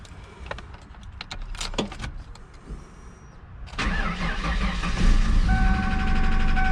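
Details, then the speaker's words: Newly bought Ford SN95 Mustang at start-up: starter churns, engine catches, then runs and revs with a harsh uneven rattle over the idle; nasty noise, cause not yet known. "right guys so as you can hear she's making a pretty nasty noise"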